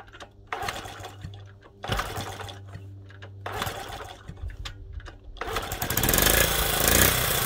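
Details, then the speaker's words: Honda Z50, first start, completely cold, fuel fed to carburetor, no choke, chain off: a few kick strokes with cranking bursts, then the small single catches and settles into a busy even run; normal cold start. "Completely cold start. And I put fuel into it, so I'm going to try starting it without the choke. Oh, it kicked."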